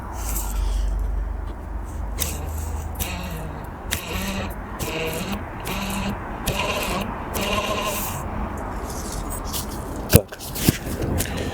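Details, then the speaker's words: BMW X5 E53 climate-control blower fan, turned by hand before cleaning: irregular squeaky, scraping rasps instead of quiet spinning; noisy fan, cause not confirmed. "Вот наш вентилятор, который издает звуки посторонние. Вот наш вентилятор крупным планом. Сейчас я попробую прокрутить, и будет слышно, как он шумит."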